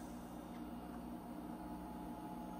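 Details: Third EG4 6000EX inverter in a barn solar setup, kicking on as charging begins: fans spin up into a steady loud roar over a constant hum; normal cooling fan noise under charge.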